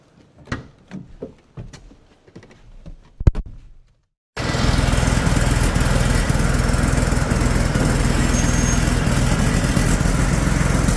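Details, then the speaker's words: Komatsu D85E bulldozer diesel, 7 hours after new injectors and a valve set: runs loud, rough and uneven in the shop, backfiring and blowing blue smoke, traced to the injection pump drive coupler loose, worn and cracked, which upset pump timing. "go well they only use this thing for 7 hours and now it runs terrible it's backfiring out the exhaust smoking like crazy"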